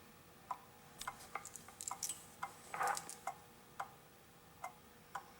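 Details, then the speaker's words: Antique pendulum clock, customer-cleaned and oiled, after the suspension spring was seated: sharp ticks about every half second with uneven tick-tock spacing, still slightly out of beat, so the crutch is bent to adjust it. "and we're still off a little bit"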